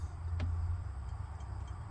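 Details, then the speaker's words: Project Mustang (302) with trashed wiring: one sharp click when the hazard flasher button is found, then faint steady ticks over a low rumble; the flasher is cycling. "Oh, Found the flasher button too. I can hear it. Well, we got something."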